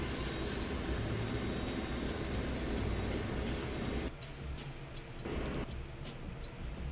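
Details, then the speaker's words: Graphics card, no fans running, under load: faint steady high-pitched coil whine over a rough hum. "So yeah, that is a ton of coil whine. And that's with no fans on there. So that's just the card doing its job under load."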